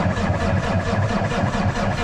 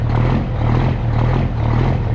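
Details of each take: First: Custom Peterbilt with Cummins diesel sitting three days, in neutral after priming with the transfer pump: low, labored cranking pulsing about five times a second, never fires, not turning over fast enough; weak batteries. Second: Custom Peterbilt with Cummins diesel, cold start after sitting three days: deep, steady clatter at a slightly raised, even idle as it regulates itself for the temperature and circulates cold oil; normal cold idle.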